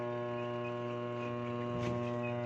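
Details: Union Labamatic 8.0 kg single-tub washing machine: wash motor gives a loud steady hum without spinning, likely wetted by a leaking gearbox seal; 9 µF running capacitor being checked next, motor winding suspected open.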